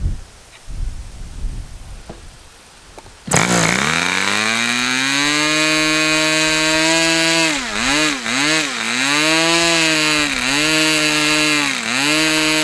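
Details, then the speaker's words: Customer's Fox twin-cylinder model engine after leaning low-speed needle about three clicks: catches into strong steady buzz, dipping briefly a few times and recovering; a good clean run. "Okay. So, there's a good run."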